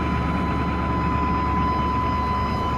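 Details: 1997 Chevy Tahoe 5.7 Vortec with spider injection, about 234,000 miles, cold start in snow after a fuel pump replacement: a smooth, even idle with a steady low rumble and an audible fuel pump whine; running normally now.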